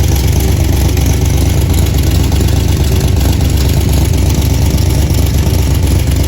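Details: 1977 Chevy Camaro V8, just fitted with a new torque converter and Pypes Violator exhaust, warming up: deep, steady burble with even low rumble, no misses or knocks; normal idle.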